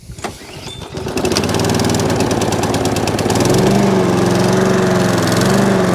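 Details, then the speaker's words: Used Hayter Harrier 41 Auto Drive mower at its first start before a service; the oil is greyish. The engine catches and climbs, then its note wavers up and down before settling into a hunting idle. The owner suspected low fuel, but the tank had fuel. "Got a bit of a hump to it, but it does settle down. Might be low on fuel."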